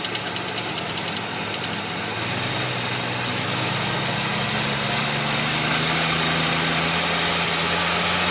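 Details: 1985 Mazda RX-7 rotary at warm idle; fast, fairly even light tapping about four per second, only occurs once warmed up; owner hopes it is a pulley; cause unknown.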